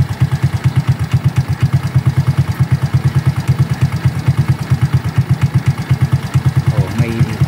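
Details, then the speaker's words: Smash Fi motorcycle at the first cold start in the morning: a steady single-cylinder idle with a light, fast tak-tak tick on every beat, about three a second. The owner newly hears it and asks if it is normal; the cause is unclear. "Pag bago siyang bukas sa umaga. Ay no, pakinggan niyo mabuti. Parang may tak tak tak tak. Oh. Normal ba yan?"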